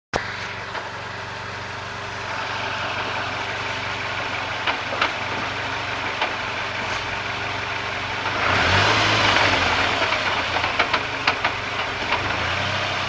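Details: SRT-4, light throttle burp then idling down: sharp single clunks spaced about a second apart as revs fall; source undetermined.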